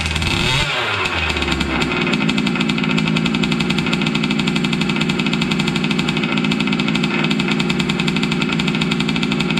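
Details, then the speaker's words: Losi 5T 2.0 RC truck's gas two-stroke on VP fuel, restarted after sitting about four to six months, wheels on tires off ground; loud buzzy steady fast idle after catching, no sputter or dropouts, running clean and healthy. "awfully loud so I'll just get it fired up just to run some fuel through it and get our battery disconnected"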